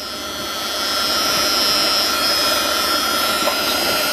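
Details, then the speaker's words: 2000 Dodge Ram Van B1500 with code P0505, idle control system malfunction. An air leak is heard near the idle air control with the air cleaner off: a steady high airy hiss over a quiet idle. Suspected vacuum leak. "now I definitely hear an air leak somewhere so let's take this uh air cleaner off and see what we can uh find here"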